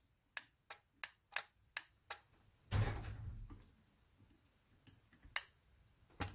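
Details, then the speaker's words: 1996 Land Rover Defender 90 300TDI glow plug relay, glow plug light not coming on: relay bench-energised from jumper pack gives about six sharp, crisp clean clicks, continuity across switched pins confirmed on multimeter; relay works fine, possibly dirt. "so that's all working now so suggest actual the relay is fine"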